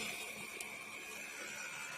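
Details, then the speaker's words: Xerox 5570 color copier before repair, loud noise of unclear origin with strong vibration on both sides, printing black lines. Harsh grating hiss with a thin whine. A red drum unit is broken, causing toner leakage that filled and clogged the waste toner path. "这个声音像是某一个吸骨转不动，根源就是红色吸骨坏了，导致漏粉。"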